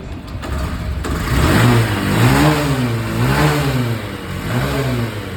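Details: Honda Shine BS6 motorcycle with an ECU no-start problem, after multimeter checks of the three phases (28 each): engine catches and settles, then revs rise and fall smoothly with a steady beat; now starts and runs fine.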